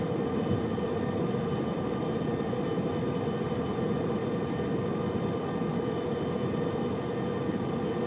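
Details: Subaru Liberty, recorded from the left of the centre console: a constant metal-on-metal grinding drone that starts above 65 km/h and persists while coasting in neutral until below 60 km/h. Speed-dependent grinding noise while driving, source not found.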